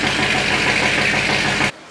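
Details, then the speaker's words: Dodge Scat Pack V8 idling: sharp, rapid knocking that sounds like rod knock rides over the idle until shut-off. Cause is a collapsed lifter, not a rod knock. "You guys obviously heard the knock. Yeah, that is serious. That actually sounded like I was having a rod knock just a while ago."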